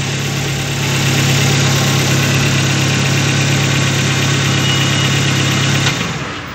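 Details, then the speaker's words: Chevrolet Spark after head gasket replacement and timing job, restarted before coolant fill: steady, even idle with smooth low hum, no knocks or misses, then shut off; engine running healthy. "इसे एक बार फिर से शुरू करें। देखो दोस्तों, गाड़ी चल रही है।"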